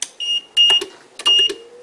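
Two short bursts of high-pitched beeping a second apart, the normal power-on chirp as the tester boots up.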